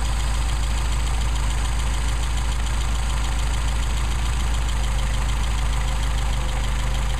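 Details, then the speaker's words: Mercedes 190SL with Solex carburetors, idle mixture screw on the first barrel being adjusted: deep, steady idle that stumbles and nearly dies as the screw leans the mixture. "stumbled you can hear that stumble if i go any further it'll shut it down almost almost just died"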